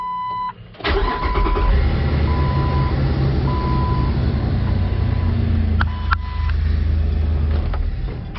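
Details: 2004 Jeep Wrangler 4.0L six-cylinder, code P0340, previously hard to start, after cam sensor replacement: short crank, engine catches almost at once and settles to steady idle under a chiming beep; starts normally.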